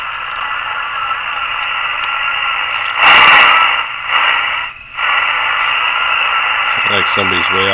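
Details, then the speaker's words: Courier Centurion 23-channel AM-SSB CB base station, about 1981, revived after not working: hiss and crackle with a faint distant voice on upper sideband, strong volume on lower sideband; receiver working, clock dragging noise also present. "Now, aside from that noise, on lower sideband, get a lot of volume. And nobody's on, sounds like right now. Upper sideband seems to be working."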